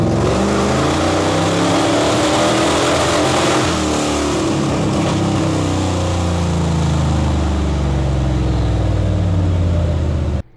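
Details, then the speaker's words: 1974 Barracuda, 383 big-block Mopar with ACES Killshot EFI, held flat out on dyno near 5,400 rpm: loud ragged stuttering, popping breakup from ignition-cut false limiter; sounded bad above 4,000 rpm, later fixed by firmware update. "So the next type of false limiter we're going to go over is the ignition cut. This is where it sounds like it's scattering or breaking up really bad."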